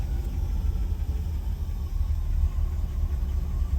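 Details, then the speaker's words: 1967 Lincoln just after installing a new carburetor with its inlet port moved to the driver's side, on default adjustments: a low, even idle rumble holding without the foot on the pedal and not dying. Better than the old carburetor, though a fuel leak appears at the inlet. "so the carburetor has default adjustments I haven't touched it my foot is not on the pedal she's not dying so that's a good sign already better than the than the old one was"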